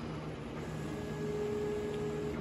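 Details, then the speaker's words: Zenbot CNC machine, reassembled after heavy production use made it noisy and grinding: gantry now traverses with a soft, steady hum and faint tone, no grinding; quiet gantry travel after reassembly. "nice and quiet it ain't grinding when it's going across there"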